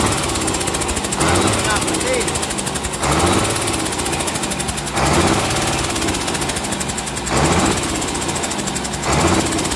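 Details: Komatsu S6D125 six-cylinder diesel on test stand after general overhaul for a broken piston, spun conrod bearing and scored crankshaft: heavy rumble rising in short surges every couple of seconds and settling evenly, no knock; normal running.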